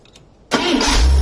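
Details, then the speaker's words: 1978 Scout II 345 V8 with Holley 2210 carb, started after the choke rod was adjusted, with the carb initially dry of fuel: after silence, the engine catches quickly and settles into a steady, even idle without stumbling. It is a normal start and idle. "You'll see it when it starts. It's probably going to take a while because there's no gas in the carb."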